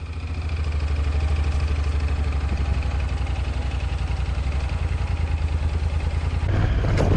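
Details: Honda NC750X twin after cam chain tensioner repair, steady idle with an even low thrum, firm and regular with no ticking or rattle; normal idle.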